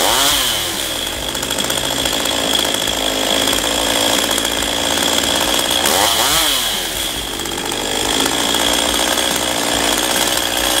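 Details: Stihl MS192TC chainsaw that started hard and ran unstably, after carburetor adjustment: screams at high revs, picking up cleanly twice and holding a steady pitch; the engine may be nearing end of life.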